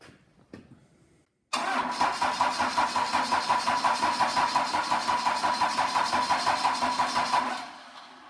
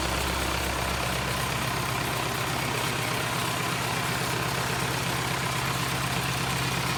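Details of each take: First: Cummins 4BT diesel after refuelling, with system hand-pumped to purge air: even starter churn at about three compressions a second for six seconds, never catching; cranks but won't start, owner suspects injectors need bleeding. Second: Cummins 4BT diesel, freshly started after battery charge, coolant routed through hoses: steady, even diesel clatter holding a constant low beat with no misses or knocks. Normal idle.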